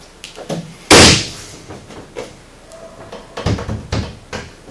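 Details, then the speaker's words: 2015 900S after installing Pro Armor stealth doors with bumpers fitted in the door: door opens and closes with a clean, solid thud and no trailing rattle; the earlier rattle is gone. "now you can't hear that little rattle you could hear a minute ago"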